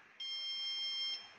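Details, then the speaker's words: BPCL petrol pump automation console: a single shrill, steady electronic beep of about one second. This is the low product alarm warning that petrol stock in the tank is running low and a delivery is needed. "तो, देखो दोस्त, देखो दोस्त, delivery के लिए कम उत्पाद की आवश्यकता का अलार्म बज रहा है।"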